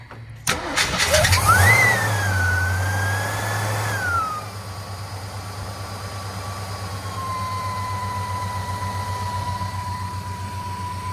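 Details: 1958 Studebaker Golden Hawk whose carburetor bowl would not prime, after needle and seat work, adding 5 gallons of fuel and priming the accelerator pump: the starter cranks briefly, the engine catches and flares up, then settles into a steady, even idle.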